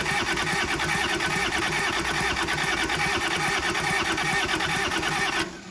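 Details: Kubota L285 4-cylinder diesel tractor, sat outside 8+ years, after bleeding air from the injectors: steady, even diesel idle without stumbling, then a clean shutoff; the engine runs normally.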